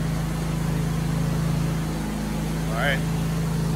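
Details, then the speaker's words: John Deere S180 mower after new deck belt replacement, PTO engaged: steady low engine drone with an even beat and no knocks or belt squeals; mower runs fine. "then I fired it up and it sounds like it's working good so I will go cut some grass"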